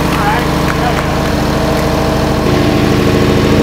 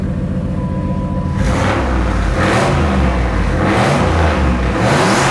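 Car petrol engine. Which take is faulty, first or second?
first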